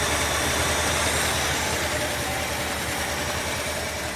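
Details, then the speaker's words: 1967 Mercury Commuter wagon, started cold after years of sitting; it barely ran previously. Fires right up into a steady, even low rumble with no misses, knocks or ticks. Normal cold idle. "Fires right up though. Yep. A little cold right now."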